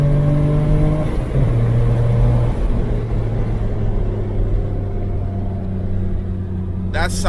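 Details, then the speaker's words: BMW 335i N54 twin-turbo, after fixing a suspected turbo boost leak behind a no-boost 30FF code: test drive pulling hard through the gears, clean rising revs, no flutter or hiss; reached about 15 psi boost, consistent; normal boost under acceleration. "yo it went up to like 15 foot PBS of boost sounds healthy and he wants to move man super satisfied"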